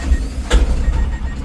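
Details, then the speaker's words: Mahindra Jeeto diesel with a no-start code, after SCR reset and 50 km extension with a scan tool: short clatter as it fires, revved, then settles into steady low idle; now starts normally, though a dosing malfunction code remains. "गाड़ी मेरी complete गाड़ी start है देख सकते हैं गाड़ी को race देता हूं गाड़ी मेरी स्टार्ट है देख सकते हैं"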